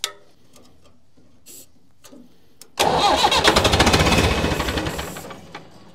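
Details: Massey Ferguson 178 diesel in a 50-year-old cane haul-out tractor, sitting for years: quiet, then about three seconds of steady cranking at roughly three beats a second that dies without catching. Plenty of diesel reaches the injector pump; owner suspects an injector pump fault.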